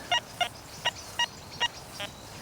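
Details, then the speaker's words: Metal detector running the Forager 2.0 program in an English pasture: target reads a good 71–72 tone, then turns into a lower iron buzz as the coil moves off it; short mid-pitched chirps about three per second. Judged modern junk, iron target response. "it's kind of good, but then you move off it, there's that little iron buzz."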